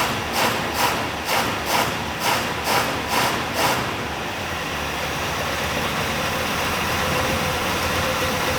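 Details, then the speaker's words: 1965 Buick LeSabre V8, sat 34 years, just revived with vacuum advance hooked up and timing still being set, shifted through the gears: about seven evenly spaced surges rock the idle before it settles. Rough, lumpy idle, cause unconfirmed. "that sounded terrible but it worked"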